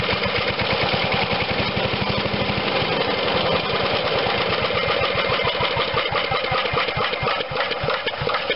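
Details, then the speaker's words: 1996 MTD wood chipper shredder with Briggs and Stratton 135212 5hp single-cylinder, long unused, on choke after pull start: fires immediately, steady even thumping, no rod knock or valve clatter; runs healthy. "so now i'm okay sounds it doesn't sound like we got a bad connecting rod everything sounds good valves must be opening and closing"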